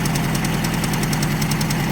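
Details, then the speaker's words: Ford Escort Mk3 GLE: rough, uneven idle with fast light ticking, running badly with one cylinder suspected bad. Owner suspects a collapsed hydraulic lifter, hopes it's not a bad cam; the valve cover must come off to confirm. "But yeah, something's not happy on this engine. It runs horrible. You can hear this. There's inter intermittent see it. So, I definitely think we've got a cylinder that's messed up or just hydraulic lifter that's collapsed or hopefully it's not a bad cam."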